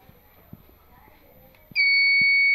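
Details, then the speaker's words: Rahimafroz 6kVA/120V IPS, serviced after an output-voltage failure (1K resistor fixed), running on backup with mains off and load attached; steady high-pitched low-battery beep after 2–3 minutes because only 4–5 of its 10 batteries are good. "হ্যাঁ, আমাদের আইপিএসটা লো battery দেখাচ্ছে, এই যে লো battery."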